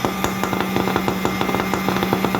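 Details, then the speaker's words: Atlas Copco electric poker needle vibrator, 40 mm needle, frequency converter supply (47 V measured), after replacing the faulty switch: steady high-pitched motor hum with light regular rattles, running smoothly; normal running. "देखो, vibrator की सुई अब चलने लगी है। देखो, ये शुरू हो गया है।"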